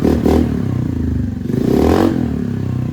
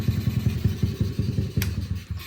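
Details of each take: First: Honda NAVI after carb tuning: quick throttle blips, revs fall straight back to a steady, even idle each time without hanging, even while foot braking; normal return to idle. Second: Honda NAVI carbureted engine, about 280 elevation, no air leaks; after a throttle blip revs hang off throttle with putt-putt pulses, then slowly drop; idle hang caused by misadjusted fuel/idle mixture screw.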